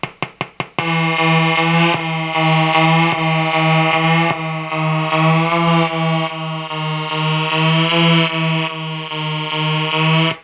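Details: Colour-changing LED bulb on 4.5–6 V DC batteries: low electrical buzz with strong overtones, pulsing and shifting as the bulb cycles colours; interference noise from the driver electronics.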